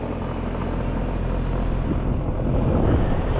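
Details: New Lennox heat pump package unit, reset and running after tripping on high head pressure from dirty filters: steady low rumble building slightly as it settles, no knocks or squeals; runs normally.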